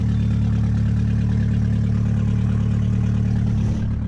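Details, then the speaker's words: GM car at first start after work, exhaust manifold not connected: loud open exhaust rumble, engine fires and settles to a steady, even low idle with no knocks or misfires. "Now, that's what I like to call a success. As you can see, there's no lights immediately on, but she fires up, guys."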